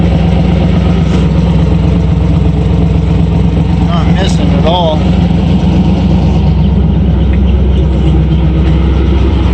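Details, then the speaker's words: Ford F100 or Rambler 770 project, engine with a surging 2-barrel carb still being sorted, one side no longer missing, a little smoke: even, steady low rumble without skips that drops to a clean idle, water pump audible; normal idle. "it comes right down with good idle"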